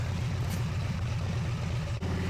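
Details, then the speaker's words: Harley V-twin with electronic ignition, checked with a timing light: steady, even throb at about 1500 rpm, no misses or knocks; ignition advances timing correctly and the marks line up. "you can hear my engine RPMs increased to about 1500 RPM. And the electronic ignition is doing exactly what it should as the engine RPM increases. It's advancing the timing."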